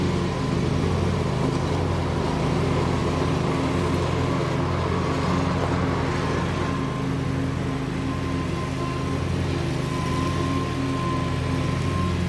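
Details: Bobcat Predator Pro zero-turn with Generac engine, repaired for bogging in tall grass, blades sharpened and balanced, cutting: unbroken drone holding pitch with no dips under load; pulling strong, couldn't make it bog, believed fixed.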